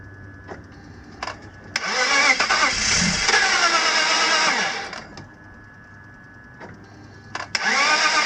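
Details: BMW M54 engine (E46/E39) with sudden very low compression, cranked after oil squirted into the cylinders: starter churns unevenly, runs briefly a few seconds on some cylinders, then dies. Fails to keep running.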